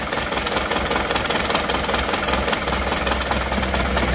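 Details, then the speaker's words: Isuzu Panther diesel idling with a loud, uneven clatter and lumpy beat, plus heavy smoke: cylinder 4 makes no power, with injector pressures low around 130, reset to 190. "setelah kita kendori satu persatu ternyata di nomor 4 itu tidak ada tenaganya jadi pincangnya itu karena 4 itu tidak bisa menghasilkan tenaga"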